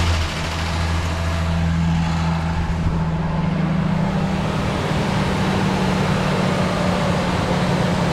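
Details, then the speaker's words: Rebuilt Ford Ranger 4.0 engine starting up, run briefly with no coolant: loud, smooth, even idle with a steady low drone and no knocks or ticks; sounds healthy. "so what do you say we hear this thing fire up one more time still no coolant so we can't let it run forever but i gotta hear it"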